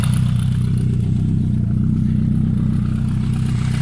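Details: Suzuki GSF Bandit 1200 inline-four idling on a cold engine: a rough, uneven clatter, about three beats a second, over the low engine note; strange noise, source unclear.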